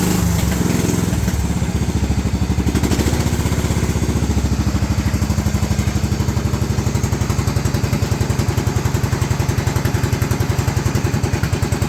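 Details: Cub Cadet 2135 riding mower after 38 years sitting, choke pulled: single-cylinder engine catches after a few rough beats, then settles into a steady, even chug at idle with no misses.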